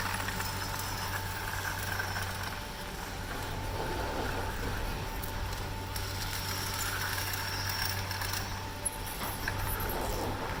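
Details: Poma TB-41 detachable grips on Tremblant's fast TGV Express passing a depression tower with a 16-sheave hold-down; busy, uneven clattering rattle over a low drone, the normal grip rattle through the sheaves, not a fault.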